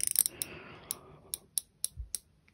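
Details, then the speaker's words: KastKing Valiant Eagle 2 BFS baitcasting reel, side-plate brake dial turned from minimum upward; about eight crisp separate clicks with very positive, easy-to-grip detent feel; normal brake dial clicks. "but it's very very positive I really like it it's easy to grip"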